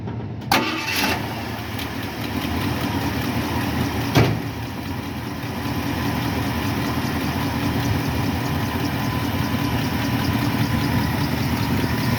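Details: 1976 Ford F-150, Motorcraft 2100/2150 carburetor, air cleaner off, started for idle mixture adjustment with vacuum gauge: a couple of starter catches, then steady, even idle with no misses; vacuum fairly good; normal idle.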